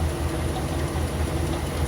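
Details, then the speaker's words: Wrecked 2015 Chevrolet Silverado 2500HD engine, warmed up at idle, recorded from the loudest side: a rough idle shakes the truck, with a repeating dull clunk and a lighter tick. The previous owner confirmed a bad motor; the internal cause is unknown, and a compression test follows. "It's like a clunk and a tick."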